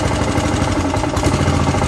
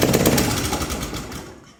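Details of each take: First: Pubert wheeled brushcutter with Honda GCV160 four-stroke engine, after repairing a broken exhaust valve rocker arm that caused low power, plus tappet adjustment and oil change: smooth, even thrum at steady speed, then winds down; sounds like a normal engine again. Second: Honda GCV160 engine on a Pubert wheeled brush cutter with blade engaged, lacking power and stalling under load: fast loud metallic valve-train clatter that fades as it winds down; caused by a broken exhaust valve rocker arm.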